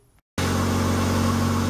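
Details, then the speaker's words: 1995 Ford Escort Wagon, first start in the garage on jack stands after a cooling-system refresh (water pump, timing belt, hoses, thermostat): it fires at once into a loud, raspy, boomy but steady idle. The car needs an exhaust; loud exhaust. "I'm sorry it's so loud so hard to talk I'm hoping you can hear me I did tell you the car does need exhaust it probably sounds worse on camera than it really is but yeah it's a little loud"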